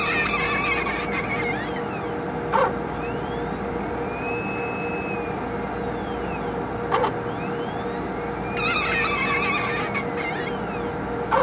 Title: 2 minutes of relaxing sounds from a squeaky HPLC sample pump